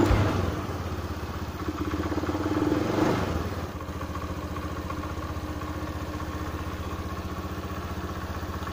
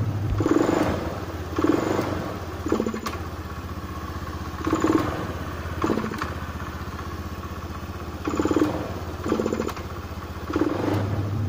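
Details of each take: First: Honda Beat FI scooter that hesitated and stalled, traced to a weak fuel pump: with fuel pressure set to 40 PSI it picks up cleanly on a throttle blip and settles to a steady, even putter; responsive. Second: Honda Beat FI scooter, fuel pressure deliberately dropped below 30 PSI to simulate weak fuel pump: repeated throttle blips rise sluggishly and stutter before picking up, then return to idle; fuel starvation hesitation, responsive again at 40 PSI.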